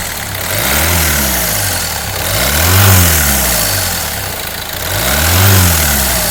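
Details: Peugeot 308 1.6 HDi 8v diesel with Continental injection, revved several times before teardown; a harsh clatter rides on the rising and falling revs, traced to seized hydraulic tappets and a damaged vacuum pump.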